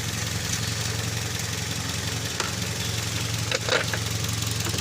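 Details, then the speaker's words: Toyota Vios, hard starting after sitting long, fuel pump fine: rough, uneven idle with stumbling beats and sharp pops near the end; misfire with backfire traced to faulty injectors, set replacement advised. "titingnan kanyang injector pala hard starting maaga ah pumuputok nag-backfire"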